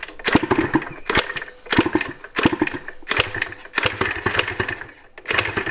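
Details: 1986 Yamaha IT200 two-stroke enduro after about 400 kicks, its oily black spark plug cleaned with gas: kick-over bursts about a second apart, each with a few weak pops that never catch. A clogged muffler was also suspected. Fires but won't start.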